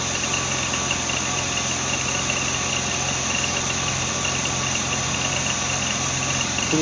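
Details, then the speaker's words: BMW Z3 2.8-litre at idle: thin high chirp and light rattle from worn idler and tensioner pulley bearings; squeak used to fade once warm but now persists, noisier under load; the water pump had already been replaced in vain. "Now, the funny thing is is after she warms up, the squeak starts to go away, but it's lately I've noticed the squeak is still staying in here and so it it's it's definitely time to change it over."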